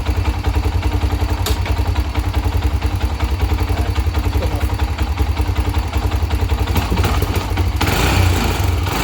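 Strong, even low putter from the single with steady firing pulses and a brief rev near the end; engine runs healthy.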